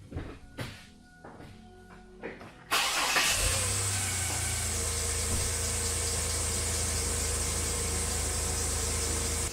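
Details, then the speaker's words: GMC Jimmy started with the radiator cap off: a thin, steady high squeal over the idle from a serpentine belt that is misrouted and not properly tensioned. Later, belt dressing quieted it, but it still squeals when revved and may need a new belt. "If I get this belt on right, it's not on the tension right, so that should help with some of that noise. But yeah, that's the noise that we were getting. That's how it's been sounding."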